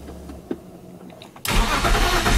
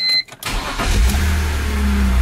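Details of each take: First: E46 BMW 330i M54B30 with M50 intake, ICV delete and N52 76mm throttle body, first start attempt: starter whirs about four turns a second without firing; crank no start blamed on an ECU checksum error after flashing. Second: E46 BMW 330i M54B30 with M50 intake, ICV delete and N52 throttle body, after reflashing the ECU to fix a checksum crank no start: short crank, fires right up into a steady, even idle; water pump makes odd noises.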